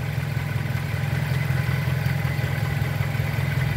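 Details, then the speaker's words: Pointer 1.8 shaking at idle; with the missing part bridged by a jumper cable across two terminals, idle steadies to an even, smooth rhythm with no shake or misfire; fault fixed (previously also stumbled on acceleration). "Hay mejora bastante, hasta se oye el motor cómo se estabiliza."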